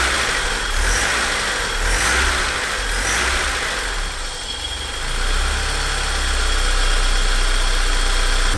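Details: BMW E30 316 with M40 engine started after about 18 months laid up: runs steadily at a smooth idle with a gentle rev partway, settling evenly.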